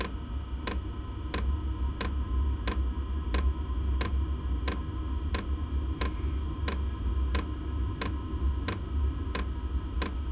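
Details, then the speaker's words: Inexpensive diesel heater in a shed workshop at first startup with glow plug on; sharp even ticks about 85 per minute over low rumble; dosing pump priming ticking, expected to fade after startup. "there's the glow plug right you hear it ticking louder and from what I've seen that loud ticking goes away after it finishes this priming and uh initial startup"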